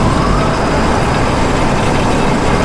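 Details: Older combine, header running, guard left off: loud even roar holding steady with no knocking, rattling or chain slap; combine and header running normally.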